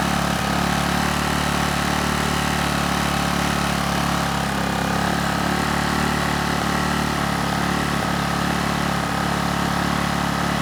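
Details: Honeywell HW2000i 2000-watt inverter generator, circa 2002, hard starter, under a 1500-watt load: steady, even drone holding one speed with no hunting or surging; hertz and voltage rock solid, runs well.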